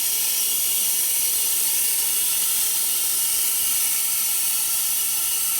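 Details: eBay nitrous oxide transfer pump on regulated shop air: steady high hiss with no low-end thump, pump doesn't run; air escaping inside the pump, grease and debris found inside. Cause suspected, not confirmed.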